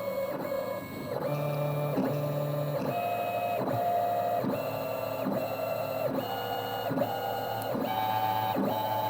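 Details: Hybrid stepper on CNC axis under load test, feed rate around 110–120 inches per minute with rag friction applied; clean tone steps up in pitch with each speed change, even and smooth; running normally.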